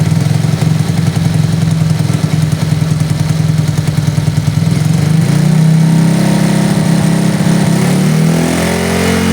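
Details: Honda Astrea Grand 96 after the body wiring was rebuilt from scratch: steady, even low putter from the small single at idle with a slight lift midway. Charging voltage reads 14.5 V. Normal idle.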